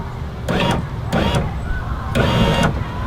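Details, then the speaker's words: 2004 Ford Mustang power window with an already-replaced regulator motor, clicking at full up/down: motor runs in short bursts with rattling clicks as it strains; owner suspects the motor gear is slipping, not engaging the regulator teeth. "So I think what's happening is the motor gear is not engaging into the teeth of this regulator."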